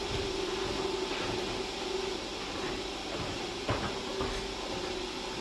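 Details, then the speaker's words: Sovol SV07 Plus Klipper 3D printer, input shaper auto-calibration Measure Y: bed shaking back and forth with steady buzzing tone and light rattles at about 22Hz of a sweep toward 100Hz; normal resonance test. "We are only at 22Hz and it's already making sounds. It's going to be very loud, very noisy at 100Hz."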